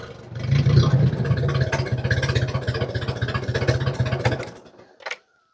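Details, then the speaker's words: 1950 Ford 8N tractor straight four with spark plugs about a year and a half old, before plug change; uneven loping idle with the odd dropped pulse; rough running with intermittent misfire, later traced to filthy spark plugs. "it's not sounding too bad right now, but sometimes it gets a pretty bad miss."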